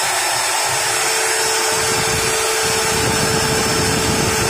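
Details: Modern M2600 circular saw after replacing the armature and carbon brushes: steady high whir with a faint constant tone, even and smooth, with no grinding or sparking crackle. Running normally after repair.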